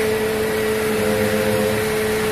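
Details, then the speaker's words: Mercedes C200 after replacing the power steering pump, whose bearing had growled and made steering heavy: engine runs smooth with only a faint steady hum and no pump groan; steering now light and normal. "Ini sudah halus, sudah lagi sudah ada suara-suara bunyi lagi guys. Aman guys, sudah mantap."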